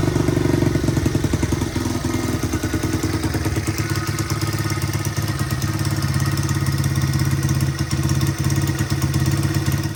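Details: 1985 XR100 after carb retuning: it had run rich at half throttle and above, so the needle was raised one notch, the pilot jet went from 35 to 38 and the main jet (which had been 85) to 100. Crisp, even single-cylinder revving with no stumbling or popping.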